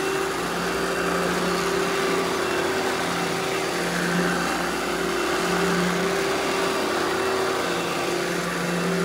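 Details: Eureka The Boss Smart Vac upright vacuum, model 4870 type GZ, bought secondhand, belt replaced; switched on for a demo: steady motor hum, even tone, constant airflow rush, no rattles or belt slap; normal smooth running.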